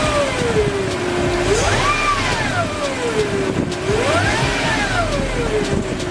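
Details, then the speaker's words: Lexus LX 470 idling after a power steering fluid change to full synthetic: a loud whine swooping up and down in pitch, from the power steering pump; the alternator was just replaced. "so now if you hear that whine that whining noise definitely coming from that power-steering either that a alternator but they alternator I just replace"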